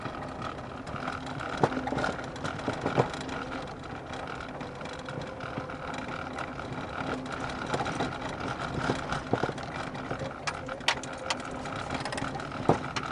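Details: Car driven over bumpy street after several parts replaced: sharp isolated knocks over steady road rumble on bumps; suspension knock in front suspension, cause unknown.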